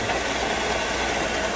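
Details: 2007 Honda Odyssey idling with a fast, dry ticking rattle; owner first suspected the timing belt tensioner, but replacing it didn't help. Removing the serpentine belt silenced it, and spinning the belt-driven parts traced it to a worn alternator bearing.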